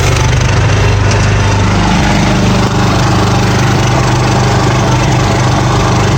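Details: John Deere 300 hydro tractor, engine at full RPM with the hydro lever forward: rough, gritty driveshaft grinding, worse climbing hills or pushing into snowbanks while blowing snow, fine in reverse; cause not yet pinned down.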